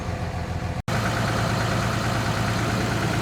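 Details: Ford F550 repowered with 5.9 Cummins common rail, after contaminated-fuel injector trouble and FASS pump fix: diesel holds a steady, even high idle with low rumble, no misses or surging.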